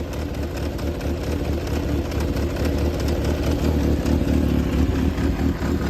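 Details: Yamaha XJR400 (4HM, early model) running engine assembly, compression tested, no abnormal noise or white smoke; four-cylinder idles evenly and picks up smoothly on light revs, no tapping or knocking; healthy engine.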